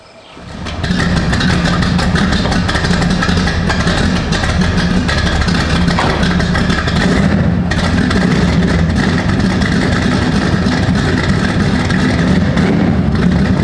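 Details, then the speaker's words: Z28 with a 388 V8, startup before a 3-inch stainless exhaust with electronic cutouts is fitted: starter catch then a deep, lumpy idle that settles and holds steady with no knocks or ticking; sounds very healthy. "That was a little startup video so you could hear what this sounds like before. It's got a 388 in it that sounds very healthy."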